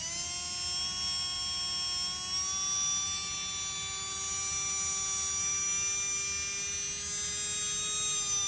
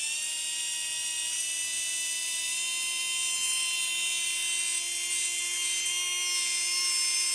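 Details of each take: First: Tamiya Dynatech 01R brushed RC motor at middle timing, presumably factory setting, run for highest rpm: steady high electric whine at nearly constant pitch, rising slightly, no rattle or grind; spinning smoothly. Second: Tamiya Dynatech 01R motor free-running on a manual speed controller while the timing is adjusted: steady high whine, pitch barely rising; rpm only increases over roughly the last three degrees of timing.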